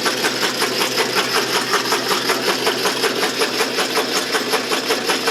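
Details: Can crusher drive test run after fitting new stainless steel axles and pillow block bearings freshly packed with white lithium grease with Teflon: steady mechanical cycling about 160 times a minute, even and regular, no grinding or squeal; runs smoothly.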